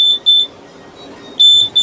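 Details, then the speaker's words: Flour mill hopper LDR grain-level sensor, pulled out and covered by a finger so it sees darkness: shrill high beeps in pairs, a double beep then about a second's pause, the low-grain warning. "तो ये beep की आवाज शुरू हो जाती है।"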